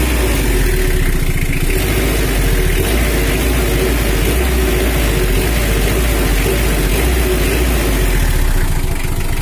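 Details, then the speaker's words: Brand-new Mitsubishi L300 diesel, after tuning from factory settings for more power and complaint of running hot on the highway: dry, even, strong idle clatter with no roughness, throttle response now immediate and following the pedal without lag. "ini adalah suaranya udah kering tapi tidak kasar dan bertenaga juga khasnya udah kontan kalau pedal dikasih itu mengikuti irama mesin itu mengikuti pedal gas jalur nggak telat"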